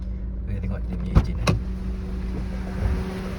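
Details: Honda Civic FD 1.8 (8th gen) shaking suddenly when stopped, engine sluggish and losing power: low, uneven idle drone with occasional stumbles and knocks instead of a smooth beat; engine misfire at idle from a faulty ignition coil.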